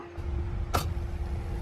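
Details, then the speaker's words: VW Vanagon after a fuel tank rebuild, key on: faint steady hum of the fuel pump priming for a couple of seconds before the engine starts. Normal, no fuel leaks found. "Hear the fuel pump. It's priming."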